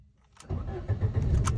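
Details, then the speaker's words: Lada Priora after ignition lock replacement and new chip key programmed to immobilizer: short crank, engine fires at once and settles into low steady idle; normal engine start. "видите автомобиль завёлся ключ Я прописал сейчас автозапуск"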